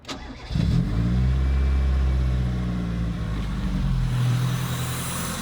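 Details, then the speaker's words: Toyota AE86 after refitting the throttle body to cure an idle-jump problem: starts cleanly and settles to a deep steady idle with no hunting or surging; idle issue fixed. "Never idled like that. It's not doing the thing. No, that's all it was."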